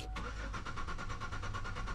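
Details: 2006 Buick Rendezvous cranks but won't start: even starter chug, never catches or fires. Starting fluid didn't help, security light stays off, tachometer shows no movement while cranking; crank sensor signal being checked with scan tool. Cause not confirmed.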